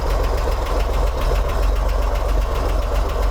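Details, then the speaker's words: 1964 Corvair Monza during a tune-up and timing check (target 10–14° BTDC). Cold engine with chokes on: steady, smooth cold high idle around 860–900 rpm, possibly a little low but running fine. "you can see i'm running 900 rpm 870 880 870 860. so that's my high idle right now it might be a little low but it seems like it's doing okay"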